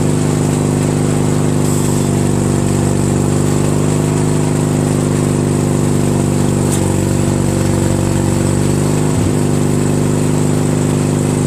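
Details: Craftsman DYT4000 lawn tractor with a 14hp Briggs opposed twin repower, electric PTO engaged without the deck belt. Even, unchanging drone with a faint click as the clutch engages, no drag or slip. PTO runs freely, showing the clutch itself works.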